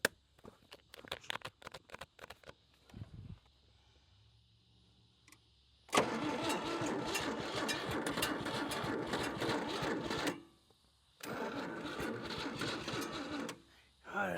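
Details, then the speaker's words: 1956 Chevrolet 235 straight-six parked since 1989: two long bursts of rapid, even starter cranking with brief catches that never settle into running, the starter straining; a vacuum-like sound is noted and the throttle spring is worn. "Whoa, she trying so hard. We'll have this starter about 500° here in a little bit. It's trying. Maybe it wants a little regular gasoline down in with it. It's grumpy. It's so close."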